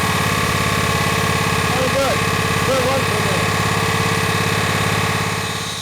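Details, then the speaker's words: Honda GX120 single-cylinder engine on a Rol-Air air nailer compressor after full service (carb, valve check), running on high without load; steady, even fast beat with no misses or knocks, running cleanly. "right she's running good now I want to do an RPM test on this"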